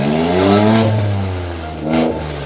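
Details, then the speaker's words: Modified Maruti Alto K10 with customised exhaust, broken again while off-roading: loud raspy open blare swelling with each throttle blip and dropping back; broken exhaust leak. "तो भाई आप देख सकते हैं मैं off roading कर रहा था, और ऑफ रोडिंग करते करते यार मैंने अपना एग्जॉस्ट फिर से तोड़ दिया।"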